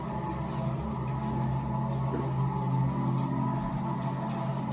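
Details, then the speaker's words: Precor C964i commercial treadmill: the incline motor lowers the deck to the floor, down to the −3% negative incline. A steady low hum, smooth throughout with no grinding, clicking or strain; normal incline motor operation. "okay it goes all the way down now to the floor which gives you your kind of negative incline of three degrees or three percent"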